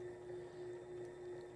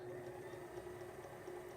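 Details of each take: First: Sailrite sewing machine run on a 400 W modified sine wave inverter: steady mid-pitched motor whine with slight rhythmic surging and hesitation, suspected due to the inverter's low wattage. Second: Sailrite Worker Bee 110V sewing machine power pack running off a Duracell 3000 W modified sine wave inverter on a single 92 Ah deep cycle battery; slow speed and variable speed, quiet steady motor hum, very smooth, no issues.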